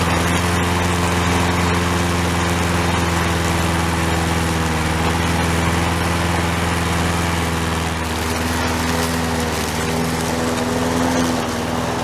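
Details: Toro SR4 mower single-cylinder engine after repair, oil drained from overfilled level to proper level: steady even drone, smooth pitch, no misses or knocks; running normally.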